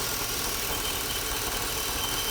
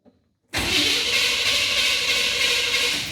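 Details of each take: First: 1987 Chevy C10 305 TBI, after throttle body rebuild cleaning rust and grit from injector bowls, idles steady and even with a hissy top end and no stumbling or surging; normal idle after repair. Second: 1987 Chevy C10, 305 TBI, after a throttle body rebuild that cleared rust and grit from the injector bowls, plus a tune-up and distributor swap: starts at once and holds a fast idle; owner suspects TPS set too high.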